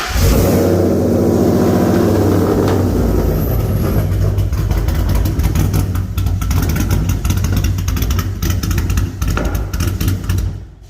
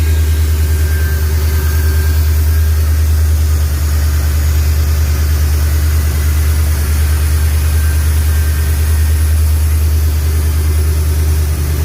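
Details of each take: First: SVT Lightning V8, likely on E85, ported supercharger, new-build motor, cold air intake, long-tube headers, no aftermarket cam: lumpy, choppy idle that sounds cammed; idle misfire, possibly from wiring cut inside the engine bay. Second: SVT Lightning new-build engine, E85 with ported supercharger and EGR delete, first start on open headers with good oil pressure: a deep, steady V8 burble at an even, slightly high idle with no lope or shake; normal idle.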